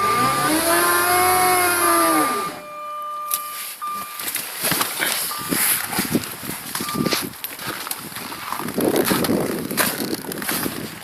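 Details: Jaguar S-Type 3.0, cold start at -32°: a slow, wavering starter whine struggles for a couple of seconds before uneven sputtering. Hard start; owner suspects the fuel injectors need cleaning.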